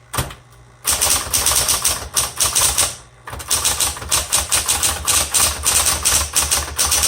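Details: 1960s Smith Corona Coronet electric typewriter, repainted: crisp rapid key strikes in quick bursts with an even motor hum underneath; types really well, just a little noisy.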